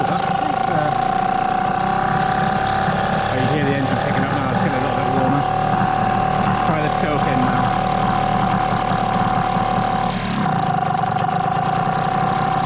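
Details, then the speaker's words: Hangkai T6 6hp two-stroke outboard at its first start, running in water on 25:1 running-in oil. The engine is cold and idles fast and steady with a high buzz; the owner suspects the carburettor setting or a rich mixture. "So that's the that's idle. Little bit faster than I like. It is cold. So I let it warm up first."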